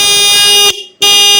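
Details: Adjusted horn on a car or motorcycle after tightening its adjusting screw: two clear, strong blasts with a steady, bright tone and clean cutoff; horn working normally.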